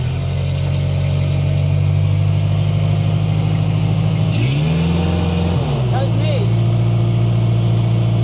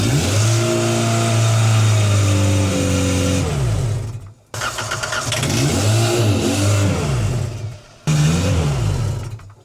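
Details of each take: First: 1990s Genie Z45-25 man lift engine, first run after fitting a borrowed ignition coil, cleaning the pump and valve and working on the alternator. Settles into a steady, even run with one brief rev and no misses or knocks. Normal running. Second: 1990s Genie Z45-25 man lift running on propane: engine revs up strongly, then cuts out into silence twice in ten seconds; stalling traced to a missing MAP sensor hose and missing intake air temp sensor, since fixed.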